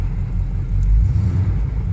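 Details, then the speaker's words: 1975 K20 truck started cold at about 22°F after sitting since November, primed: a low, heavy rumble swells briefly, then settles into a fairly even idle as it warms; oil pressure 30 psi, temperature gauge barely rising. "see she's doing better now she's warming up on idle 30 PSI temp gauge is barely starting to rise"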